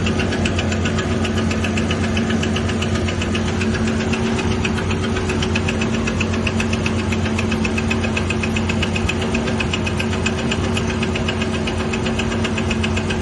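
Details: 2000 Ford Ranger XLT: rapid, somewhat uneven knocking about four per second over steady idle; owner rules out crankshaft and camshaft, source unclear.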